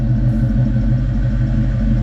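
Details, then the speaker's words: 1998-04 Mustang GT V8 with high-energy cam, after fixing P0357 code (previously raspy, stuttering, popping misfire): deep steady idle with mild cam lope, even firing, no popping; healthy idle, immediate throttle response. "this uh car does have a uh high energy cam on it so it does have a little Rumble to it but other than that the accelerator once I step on the gas is giving an immediate [Music] throttle"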